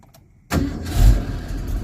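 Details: 1982 Ford Mustang GT (Fox body) with hard/warm no-start issue, after cleaning and grinding loose connections with carburetor cleaner: half-second quiet, starter catches at once and engine fires cleanly into a steady, even idle.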